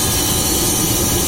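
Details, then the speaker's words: VAZ classic (2101–2107) rear axle shaft bearing, car raised, brake drum removed, wheels spinning in gear: steady heavy droning rumble easily mistaken for the differential; rear axle shaft bearing noise, replacement needed. "Такой гул вот издается, надеюсь, слышно."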